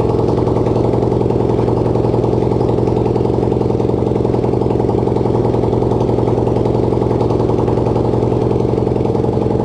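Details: Racing lawn-tractor single-cylinder engine (250cc, though also called 150cc) on its first start, no exhaust and no throttle fitted: loud, raw unmuffled bark holding one steady speed; runs normally.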